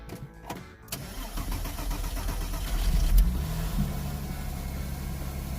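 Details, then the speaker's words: Porsche Boxster, non-running water-damaged donor car for a 2000 Boxster S, start after replacing the fuel sending unit and splicing the immobilizer wiring: short crank, clean catch, a rev blip, then a steady, even idle while warming up. "all right looks good give a little Rev running pretty well now let it warm up"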